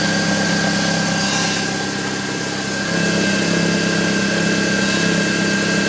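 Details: 1999 BMW E46 316i with the M43 engine at cold morning idle: thin steady metallic ring with a faint quick rattle, lasting about 2–3 minutes then disappearing; source not yet found.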